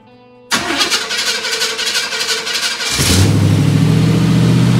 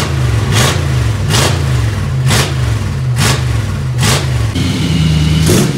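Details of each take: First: 1955 Chevy V8 after disc brake conversion and new Magnaflow mufflers: cranks a couple of seconds, then catches and settles into a deep, steady, even burble, sounding much better than before the mufflers. Normal start and idle. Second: 1955 Chevy before its Magnaflow mufflers were fitted, running with no mufflers: a deep, loud, open, flat idle rumble, the raw drone of the unmuffled exhaust, described as demolition-derby-like.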